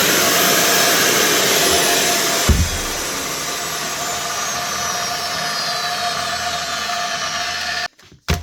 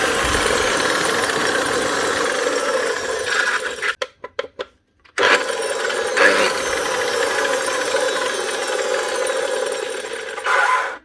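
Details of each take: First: Makita GA9040S 2400W angle grinder with Laserchaser wall-chasing head, after new head bearing fitted: steady high motor whine, even and smooth with no rumble or grinding as it spins down; normal running. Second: Makita GA9040S 2400W angle grinder with Laserchaser wall-chasing head, before repair: harsh, rattly mid-pitched roar, coasting down and restarting; bearings gone in the gearbox head, full strip job.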